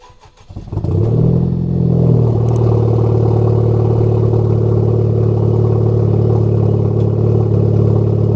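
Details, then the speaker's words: Honda Type R engine with long-unchanged spark plugs: cranks and catches after a second, then settles to a wavering, rough idle; sketchy start-up and misfiring, also at wide-open throttle, owner suspects plugs. "I haven't changed the spark plugs in this car in a minute, and the car is misfiring and starting kind of weird."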